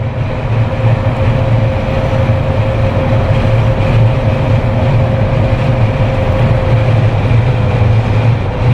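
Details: Jeep Wrangler with LED light bar after a no-cost whistle fix, at about 120 km/h on the highway: steady low road and wind rumble, no whistle or tone on top; normal, super quiet wind noise on the Jeep itself.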